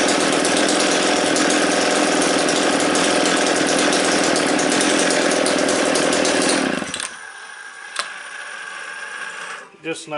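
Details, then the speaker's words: Newly bought McCulloch Pro Mac 700 chainsaw, starter freed, flywheel sanded, very high compression, carburetor possibly needing rebuild: a sharp, buzzing two-stroke runs strong and even, then drops to a quiet, steady idle; normal idle. "sounds like an old mac idol and i argue with anyone"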